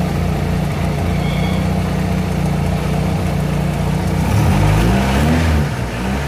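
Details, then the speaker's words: Honda Civic, cold engine idling, automatic cooling fan still off as temperature not reached: low even idle thrum with no fan roar, then a couple of light blips; normal cold idle. "Hindi pa na-reach yung temperature nung ano, nung makina natin. Matagal to, malamig to eh, no? Malamig."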